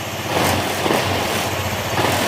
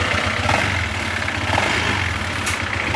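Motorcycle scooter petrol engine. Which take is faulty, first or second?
second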